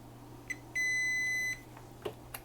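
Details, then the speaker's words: Kessler Crane camera-crane control box, continuity test from ground plane to the emitter pin of a power transistor on one of two identical channels: short chirp then near one-second steady beep, dead short to ground. "yeah we have a dead short on the emitter pin should we have a dead short there"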